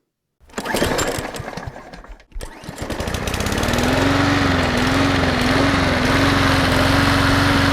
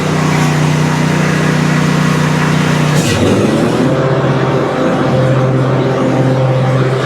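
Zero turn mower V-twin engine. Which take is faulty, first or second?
first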